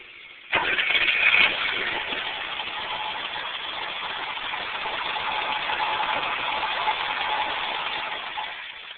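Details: BMW E12 530i: steady starter cranking about eight seconds with no firing or catch; fuel pressure regulator return blocked off yet pressure starts at 45 psi and drops to 0 within 5–6 seconds, fuel delivery suspect.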